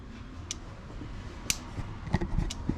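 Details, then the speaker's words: 2009 Hyundai Santa Fe with code P0441, engine off: scan-tool functional test cycles the EVAP canister purge solenoid on and off, giving a handful of sharp, uneven clicks; the purge valve is working normally. "we're going to turn it on and off if that work we shall hear a click oh that was a big one it's on and off right there it's cycling"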